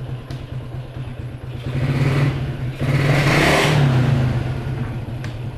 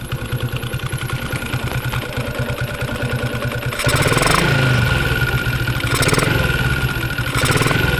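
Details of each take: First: Yamaha Jupiter MX after repair of a humming/whining noise linked to the pulser rubbing the magnet; idles evenly, revs and settles smoothly with no whistle, headlight now bright instead of dim; normal idle and rev. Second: Yamaha Jupiter MX single-cylinder idle with throttle blips, spark plug socket unplugged: a steady thin, whistle-like hum under the exhaust beat that also affects the lights. A faulty stator coil is humming.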